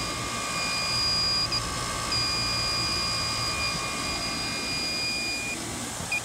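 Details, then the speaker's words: York split-system condensing unit, Inficon TEK-Mate electronic leak detector at the condenser coil: shrill continuous alarm tone over fan hiss, bubbles at the top where the pipe passes the tube sheet; refrigerant leak detected. "So you can hear it just going right off. See the bubbles coming down. It looks like the very top, right on that tube sheet of this coil."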